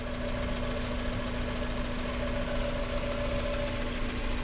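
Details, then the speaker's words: 1994 Mazda Miata MX-5 with 79,225 miles and good oil pressure idles smoothly and evenly with no lifter tick over its steady hum; normal idle. "so you can hear the engine no lifter tick they all have them all these miatas have it not this one sounds beautiful"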